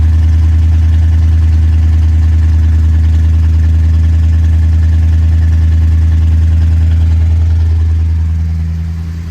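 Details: 1962 Chrysler 300 Sport that had sat 15 years, after a morning cold start: deep, steady fast idle with an even beat of about 200 per minute that fades at the end; a healthy cold-start idle.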